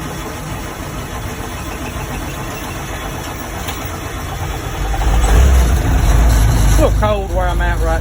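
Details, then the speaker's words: 1959 Seagrave fire engine converted from gas to a Cummins 400 diesel with automatic transmission, not started in a few days: steady cranking then it catches into a loud, even diesel idle; normal start, usually fires in two turns. "so she ain't been cranked up in a few days, but other than that, it cranks great. Usually it'll 2 turns and it's on."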